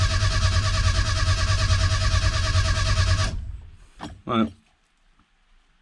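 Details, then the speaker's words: Classic Mini Clubman, out of gear, steady starter cranking about two and a half turns a second for three seconds without firing; no start because ignition timing is wrong, cranked to build pressure on a newly fitted oil pressure gauge. "if i put my ignition on now i'm out of gear it's not going to start because the timing's wrong but hopefully this gauge should go up"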